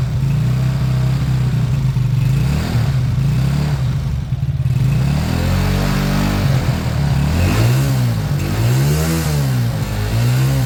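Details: Beaten-up old Lexmoto single-cylinder bike after the carb fuel feed was fixed: a steady idle, then clean rises and falls through several throttle blips, smooth and even. Normal idle and revving.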